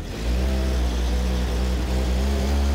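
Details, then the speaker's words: Stock 1978 Datsun 280Z, fuel-injected inline 2.8 litre six, warm on a chassis dyno under load after a fluids warm-up run; strong steady drone holding pitch, no misses, knocks or squeals; runs smooth "like glass", about 123.67 hp. "It runs like glass. Oh, it runs like this. Smooth, you can't even tell it's really running. It's really nice."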